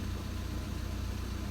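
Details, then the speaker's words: 2010 VW Passat B6 2.0 TDI Bluemotion 140 bhp diesel idling, handbrake on, in first gear with clutch lifted: deep, uneven rumbling throb from a failing dual mass flywheel, slight noise that began about two and a half months earlier. "so as I said it is making a slight noise may or may not hear it is not as loud as what it was on my previous video with a Mondeo"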